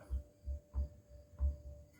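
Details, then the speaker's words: Worn pillow block bearing on an AHS fan adapted to a 1959 Axeman Anderson 130M coal stoker boiler, rolled by hand: low, uneven thumping rumble with a good bit of play. It matches the light rattle heard over 10 months and the old bearings' noise. "so the bearing on this side seems fine this one for some reason shed a little light on it here guys a good bit of play in it I don't know why or how but"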